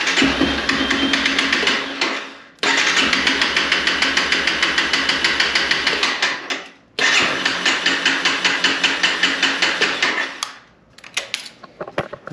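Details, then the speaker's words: 2011 Honda CBR250R, 7,500 miles, long-stored, after new fuel pump, cleaned tank and fuel line; starts only on starter fluid: three long even cranking bursts, never catches; crank no start, owner suspects clogged fuel injector. "Yeah, it's like it's not getting the fuel. Here the pump kicking on. I think that injector is clogged."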